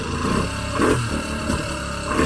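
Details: Jet ski, flame arrester fitted, after sitting a few days: engine surges through repeated revs with a harsh metallic clatter on each rise; clanking occurs whenever revved, cause not yet found.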